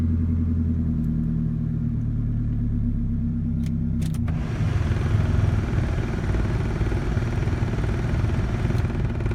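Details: 1988 Toyota Camry: uneven, stumbling idle with lumpy rumble and irregular beat, rougher clatter as load comes on; misfire.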